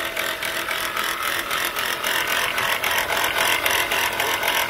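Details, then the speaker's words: Chrysler Pacifica idling: harsh, gritty rattle with fast ratcheting pulse; alternator pulley bouncing with brown residue nearby, alternator bearing shot. "look like that alternator bearing is shot"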